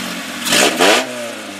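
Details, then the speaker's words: B18 engine from a 1994 Integra swapped into a cheap Acura with new clutch, pilot and throwout bearings, open header exhaust: two quick clean throttle blips rising and falling smoothly; revs freely and healthy; earlier squeak traced to a seized alternator. "it fired right up I made a funny little sound we thought it was messed up but but turns out it wasn't he works pretty good"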